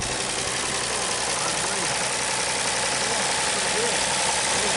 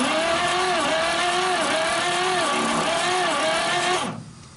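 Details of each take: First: 1939 Chevrolet Master straight-six, running after 48 years of storage. Steady, even idle with a light hiss and no misses or knocks; sounds healthy. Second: 1939 Chevrolet Master, stored 48 years, cranking with oil sprayed into the cylinders for a compression test on number 1. Steady starter drone with soft, even pulses and no firing. Number 1 reads just over 30 psi, which is low.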